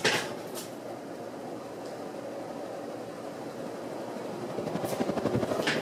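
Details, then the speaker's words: c.1986 Homestead Wind I 52-inch ceiling fan: a steady airy whoosh with a soft blade beat, no wobble, ticking or grinding, moving good air; normal running. "it's moving pretty good air too"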